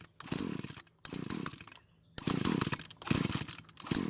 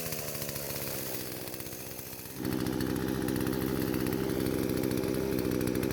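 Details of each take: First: Poulan chainsaw with about 150 psi compression and confirmed spark fires in short ragged bursts between pulls, catching and dying each time without running; stutters but will not start; ignition coil air gap to be checked next. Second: Poulan chainsaw that would not start despite spark, fuel and compression, now after repair and carburetor adjustments (L screw about half turn counterclockwise, idle screw): small two-stroke steps up briefly then holds a steady, even idle without stumbling or surging; normal running.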